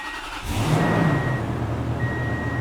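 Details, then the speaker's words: 2002 Toyota Tundra 4.7L i-Force V8 at idle after a rebuild for a blown passenger-side head gasket (cylinders 4 and 6 had read 120-130 psi). Steady, even low rumble with a faint chime and no knocks or misses; oil pressure high, exhaust smoke cleared. "Boy, she's running really good. And that oil pressure is nice and high."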